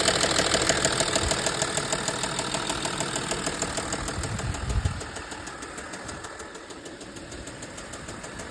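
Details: Audi A6 C6 2.7 TDI diesel at idle: a steady, fairly regular knock about three times a second over the diesel clatter. It is a genuine engine knock, but the cause is unknown.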